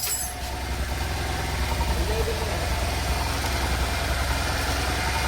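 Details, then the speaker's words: Bajaj CT100 bike with BS6 regulator/ECM, back from a Ladakh trip, engine bore work done, just started: steady even single-cylinder idle thump with no knocks or rattles, street noise behind; healthy idle. "ರೆಗ್ಯುಲೇಟ್ರು ECM BS6 ಮಾಡಲ್ಲು start ಮಾಡಿದ್ದೀನಿ. ಹೇಗಿದೆ sound comment ಮಾಡಿ ಹೇಳಿ friends."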